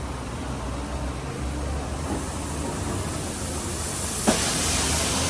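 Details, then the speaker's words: Land Cruiser FJ40 air-con system with no refrigerant, pressure-tested with nitrogen to about 250: steady hiss, then a sharp pop near four seconds and louder rushing. A leak burst at the evaporator, with oil dripping. "Ayan. Sumabog na. Kita mo? Sumabog na doon. Kita na natin. Saan ba banda?"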